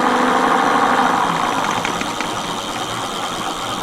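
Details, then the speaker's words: Mate X 20x4 fat-tyre e-bike geared hub motor after regreasing, under throttle: rough, gritty whir with rattling edge, less noisy than before but still noisy; owner suspects too little grease. "So it's still noisy, but it's not as bad, is it? As you can tell. I'm thinking, should I take it apart and put more grease on it?"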